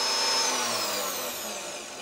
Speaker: Okay, the spindle button works fine, as you can hear